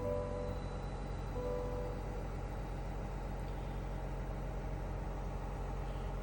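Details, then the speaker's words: 2024 Silverado 1500 diesel just started after DIY fuel filter service and fuel pump priming; steady even low diesel clatter at idle, no misses or surges, healthy. "So now we're going to start the engine."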